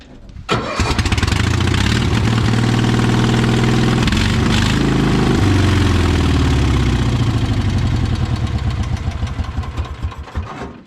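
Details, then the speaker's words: Project vehicle that did not run when bought; the carburetor was taken apart and cleaned. It now catches after a short crank and settles into a lumpy, slightly uneven low run. It starts fine but the carburetor needs a lot of adjusting. "we took the carp apart cleaned it up it actually fires up now it needs a lot of adjusting"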